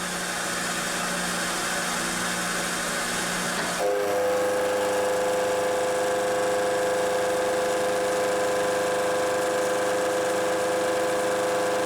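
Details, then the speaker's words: Milling cut on an aluminum workpiece for a turning-tool height gauge: steady machining roar with sustained ringing once the cutter bites; the large depth of cut (about 0.350 in to take off) causes heavy vibration shaking the camera. "not to mention that uh the large depth of cut is causing a lot of vibration in the camera so we'll skip this"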